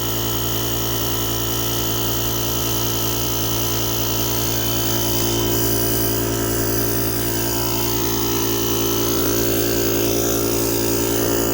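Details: JomGand JQP2250 jump starter's built-in air compressor inflating a completely flat tire: steady, even buzzing hum from the small piston pump with a constant fast beat and no stumbles or rattles; normal running.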